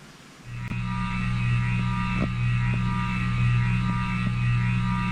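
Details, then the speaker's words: 52" King of Fans spinner ceiling fan after running for hours with the motor hot: steady low electrical hum with a constant tone and faint periodic ticks, loud buzzing motor; cause unknown, owner wonders if it needs re-varnishing. "It's such a shame about the motor noise."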